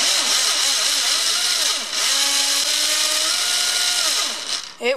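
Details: Trinity RevTech 24k 17.5 certified brushless motor freshly installed in an AE B5M, first test before recalibration: high clean whine sweeping smoothly with each throttle blip, no stutter or grinding; runs healthy.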